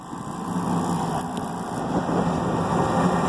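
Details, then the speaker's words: Rooftop HVAC unit, opened up after a reported noise at startup, restarted: a steady, even whoosh of the fan and burner over a low hum, with no knocks, rattles or squeals. Nothing unusual is heard; it runs normally. "Let her fire up again. See what she does. At this point, not really hearing anything out of the way."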